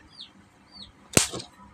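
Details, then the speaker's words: LED lamp driver runs on an anti-short tester, then is plugged straight into 220 V: a single sharp pop from near silence with a bad smell as the fuse resistor blows and swells. "Nah, tadi terlihat ada suara ledakan terdengar ya teman-teman. Ambunya gak enak. Ya, ambunya gak enak sekali teman-teman. Ya, jadi air fuse ini pastinya akan putus."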